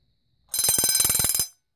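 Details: Vintage Vulcan Autosonic Mk. 30-A (VA-M-30FT) windup heat detector bell test: about a second of rapid, even strikes, roughly fifteen clean rings, then stops dead; ringing properly.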